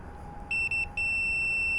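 A shrill meter tone sounds in short blips, then holds about a second; continuity shows the green and orange wires shorted.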